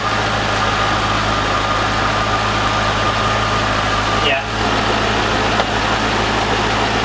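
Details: C5 Corvette V8 first start after 4+ months of repairs (harmonic balancer and front subframe replaced), in neutral, slight smoke from fluid sprayed on header: steady, even smooth idle, no knocks or misses; healthy.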